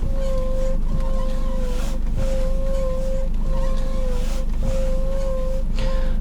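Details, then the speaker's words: 2011 Nissan X-Trail T31 at idle: squeak and hum from steering column when turning the wheel, steady ~550 Hz squeal coming and going with each turn. "это скрип гул рулем при повороте рулевого колеса выглядит это примерно так"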